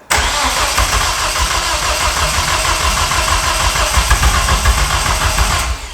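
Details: Nissan 200SX S13 with freshly rebuilt forged CA18DET, first start attempt: starter churns the engine steadily about five and a half seconds but never catches; crank no start, traced to cam sensor drive failure.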